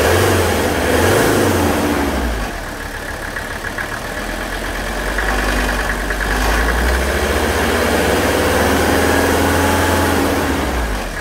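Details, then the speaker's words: Warmed-up Mercedes OM617 diesel with new injectors, idled up slightly, before a Liqui Moly Diesel Purge injection pump and injector cleaning: steady sharp nailing knock about four per second over the clatter, cause not pinned down; the purge later silenced it. "all of the um dieseling noise or nailing kind of sound went completely away"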